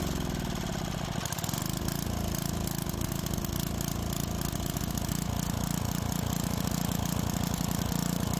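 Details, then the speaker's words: Tecumseh-powered edger that had starting trouble from old fuel, after carburetor work and adjustments: small single-cylinder engine runs steady with a smooth, regular low putter, no misses or surging, blade spinning; sounds healthy. "after a couple of adjustments it's running well and the blade is spinning"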